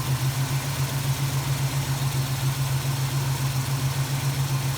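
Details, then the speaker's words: Plymouth Duster V8 at idle after carburetor repair and mixture adjustment for stalling in gear: deep even lope with no misses; no longer running rich, sounds fixed. "about where i had it before it's running good i think it's fixed"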